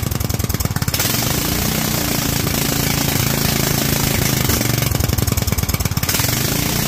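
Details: Kohler single-cylinder engine fitted with a rejetted Honda carburettor: idles happily, but as it revs up it runs rough and choppy with sharp uneven popping; leaning out badly at high rpm.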